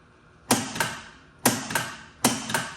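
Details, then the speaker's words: Gottlieb Spirit pinball machine during restoration, first power-up after fitting fuses, coil test: three sharp double clacks about a second apart, each coil snapping in and releasing cleanly with no buzz; normal coil firing. "I'm going to run it through the coil test next."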